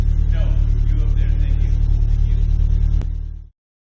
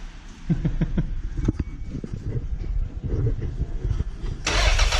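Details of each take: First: Toyota MR2 2nd-gen 3SGTE after head re-torque, valve clearance check and ticking fix: steady deep note, even firing, slight rev, no ticking or exhaust puffing; runs clean after repair. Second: Toyota MR2 2nd-gen 3SGTE first start after head re-torque and reassembly, oil likely not yet up: uneven cranking, then harsh metallic clatter as it catches, suspected wrench left on crank bolt; shut off immediately.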